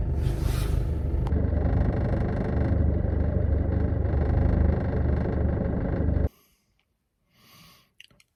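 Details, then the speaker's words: Mk6 Ford Fiesta 1.6 TDCi at idle, in car after replacing engine mount; fast uneven rattle over diesel rumble until shutdown, not fixed by mount: rattle at idle from boost hose bracket. "so as you can probably hear the noise is still there"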